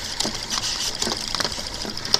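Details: Late-1800s/early-1900s Smithen marital-aid machine driven by a little Stirling engine with generator, flashing lights and spinning dial: light, even ticking about three to four times a second with a faint whir; running normally.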